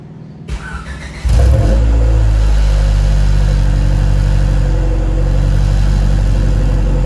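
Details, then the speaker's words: Cold start with a home-welded test pipe in place of a broken electric exhaust cutout: a loud, deep, raspy exhaust drone holding steady at fast idle, harsh and unmuffled; the owner says it still sounds like crap. "it still sounds like crap but I don't have that stupid electric cutout"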